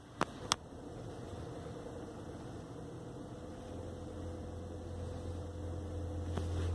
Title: 2018 Honda Accord Hybrid Humming Sound